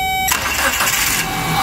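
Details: Dodge Neon, no-start traced to a loose contact (false contact) after oil pressure switch replacement, now fixed: brief chime, short quick crank, engine catches cleanly into steady idle within a second; normal start.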